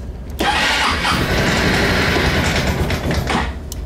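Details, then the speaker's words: 2004 Honda Reflex scooter, cold start at 14°F after sitting two days in sub-freezing temperatures, no throttle while cranking: starter spins, engine bursts into a ragged run for about three seconds, then dies; needs more cranking when cold. "see it starts up and dies out now it's going to require some cranking since it's cold out"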